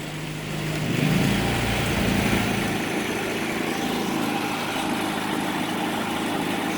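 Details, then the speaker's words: Predator 3500 generator after cleaning the jet and adjusting idle to cure surging and stalling: it settles into a steady, even drone with no surging or hunting as a Frigidaire 5000 BTU AC on high loads it. "cool doesn't sound too bad"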